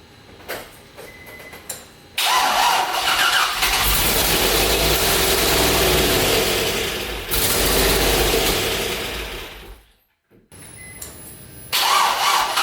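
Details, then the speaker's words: LS V8 swapped into Nissan 350Z, first start after VATS deleted and MAF failed into speed density: cranks, catches and flares to a high, hunting idle; vacuum leak because all intake vacuum ports, brake booster and fuel pressure regulator lines, were left open. "well it's probably not good revved a little high there well ladies and gentlemen that's what happens when you forget that you have every vacuum port on the intake open side the brake booster line this one here and the one for the fuel pressure regulator we're open"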